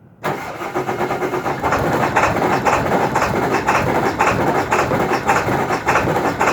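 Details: 2002 Ford F-350 Super Duty 7.3 diesel on a cold morning, hard start from a bad glow plug relay: long labouring crank with uneven chuffing pulses, stumbling toward running; clears out and drives fine once running.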